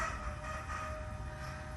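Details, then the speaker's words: LS-swapped Toyota with a new 1000hp fuel system (Holley 12-1800 pump, fuel cell, Aeromotive regulator), ignition cycled before first fire-up: soft, steady hum with a thin constant whine as the pump primes, far quieter than the previous Bosch pump; fuel pressure achieved. "i hope you can hear the fuel pump or not it's not nearly as loud as the bosch the bosch was almost like obnoxiously loud it's terrible"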